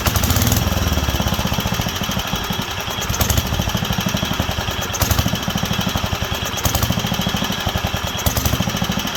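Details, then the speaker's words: Wisconsin AENL single-cylinder barn-find engine, first run in 20+ years after spark restored and carb cleaned: uneven surges every second or two as speed hunts, leaning out and coming back; partly clogged carburetor high-speed port. "it's not getting enough fuel so we've got a partially clogged port somewhere"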